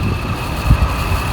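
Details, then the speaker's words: 1999 Jeep Cherokee XJ inline-6, after water pump and thermostat housing replacement: electric cooling fan motor jumpered directly to the battery; short burst of steady whirring with a thin whine over wind buffeting; the fan motor works. "motor is working i was getting ready to take the fuse box uh lid off the fuse box and check my fuse yeah i've never seen that fan on or heard it sounds like well that's a good thing we know that works"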